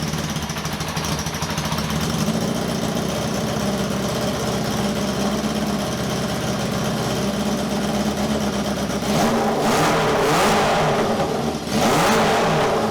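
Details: 1978 cafe scrambler hybrid bike build, valves checked not stuck, all four exhausts hot but misfiring: uneven, stumbling idle with a sharp ticking puff near the exhaust and rough blips when revved; exhaust leak from a pulled-out exhaust stud.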